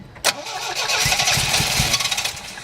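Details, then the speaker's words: Engine with weak spark cranked with starting fluid dribbled in the carburettor: starter cranks with quick uneven chug, brief catch but never runs; no fuel delivery, suspected electric fuel pump, which delivered fuel after being whacked with a hammer. "key little something all right obviously we're not getting any fuel and I suspect this thing has an electric fuel pump because I have not seen a mechanical one"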